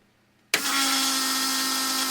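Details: 1980 BMW 528i (E12) fuel system: silence, then pump switches on to a steady even hum with light hiss, holding about 40-41 PSI fuel rail pressure; normal fuel pump operation.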